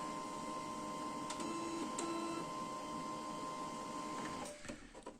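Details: Canon i-SENSYS MF4410 scanner carriage after repairing the broken scanner motor cable that caused error E202-0002: smooth steady whir of the scan carriage with a few light clicks, then a quiet stop, scanner motion normal.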